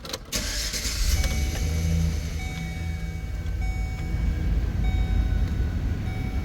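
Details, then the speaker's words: Van AC/heater blower motor just replaced during a heat wave: engine starts, then a steady even whir with faint high tones runs smoothly over idle; new blower operating normally, AC restored. "hear that I hear it well we now have AC um so hopefully I won't be sweating so much soon"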